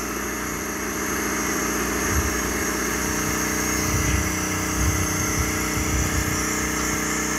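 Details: Air-assist pump of a Mecpow X3 Pro 10W laser engraver, switched on at higher settings; steady even hum with constant airy rush, no rattles or pitch swings: air pump running normally.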